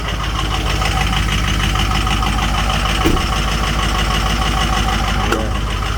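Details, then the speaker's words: Diesel just started in 12-degree weather after 2 hours on the block heater, oil 56 and coolant 60 degrees; uneven, lumpy clatter around three beats a second, owner expects it to clear up; high idle later about 1,000 rpm. Rough cold idle with diesel clatter. "So I had the block heater in for the last 2 hours. We're up to 56 degrees on the oil and 60 on the coolant. So I'm actually surprised she sounds so rough. She'll clear up in a minute."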